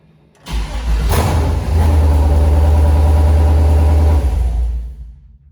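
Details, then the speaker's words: 2008 Silverado prerunner, newly installed Holley Terminator X Max ECU and Aeromotive 340 fuel pumps, very first startup: catches after brief crank, heavy lumpy drone, dies; sounds nasty, rough running. "something happened okay might have a problem but it did start sounds pretty nasty i'm gonna look into that a little bit and see what the problem was"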